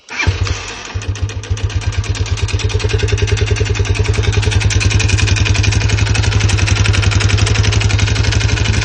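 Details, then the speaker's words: Lifan CityR 175 (162FMK single, 10,800 km) idling with a hard, regular unhealthy knock after suddenly stopping at 90 km/h; head and cylinder to be removed. "стук такий прям нездоровий, скажімо так."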